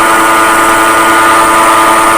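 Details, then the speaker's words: Grizzly G0733 18x47 lathe, bought June 2012, headstock at 1690 rpm: loud, steady whirring with a high ringing tone, progressively worsening. The motor is quiet when disconnected from the spindle; a bad headstock bearing is suspected. "think we have a bad bearing here motor is quiet when it's disconnected to the shaft definitely not the issue something's in the heads stop"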